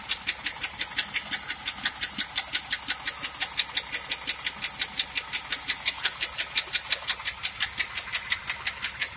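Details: 1997 Pontiac Trans Am engine: crisp, sharp, very regular ticking nearly three per second over a faint running engine; bad engine noise, unidentified ticking, cause unknown.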